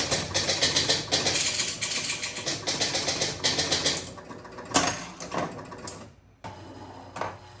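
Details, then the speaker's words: 1977 Gottlieb Jungle Queen electromechanical pinball during test play: rapid irregular relay clicking, then intermittent single clacks; relay chattering on and off from dirty contacts, every relay contact to be cleaned. "so you can hear this relay that's making a weird noise and going on and off so obviously we have a very dirty connection on one of the relays"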